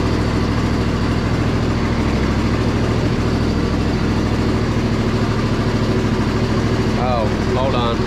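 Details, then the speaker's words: Crusty Poulan Pro zero-turn, just started: a smooth, steady low putter at idle with a very quiet muffler and no misses or knocks. Normal idle. "man I can't believe how good this thing sounds Muffler is super quiet so"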